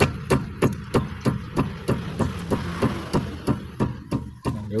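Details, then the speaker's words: 2005 Toyota Vios (Limo Gen 1) front left wheel after repair, tested by striking the tyre: about three dull, solid thuds a second with no loose rattle or clunk; knock is gone. "Sekarang kita tes. Dia sudah enggak enggak bunyi."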